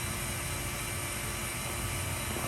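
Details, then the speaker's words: C7 Corvette Z06 intercooler bleed, Cooler Bleeder on a Robinair vacuum pump cycling, letting vacuum drop to 8 inHg low setting and drawing in more coolant each cycle: steady, even hiss and motor drone, no knocks or rattles; normal cycling. "it lets it drop down to eight and every time it does that it seems to be putting more coolant inside the system so i'm really impressed it just kicked over again"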